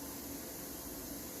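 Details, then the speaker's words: Sound system with no music playing: constant, even hiss, some call it frying; raising the noise gate removes it. Excessive gain hiss. "the gate what is the gate the gate is going to close the door on that hissing okay when there is no music playing the gate will open and eliminate all sounds okay"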